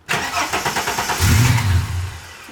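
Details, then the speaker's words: Ford AU Falcon six-cylinder after intake plenum gasket replacement and removing a plastic piece from what may be the idle control valve: quick cranking with brief stumble, never catches; owner suspects idle set all the way down; crank no start. "now she doesn't want to start at all"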